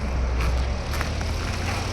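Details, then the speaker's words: 2017 Jeep 3.6 V6 after rocker arm, oil cooler, spark plug and coil pack replacement: steady even running, no stumbles, ticking, smoke or leaks; normal. "that's how you get it done take the time effort and patience no smoking no leaking no ticking good in my book"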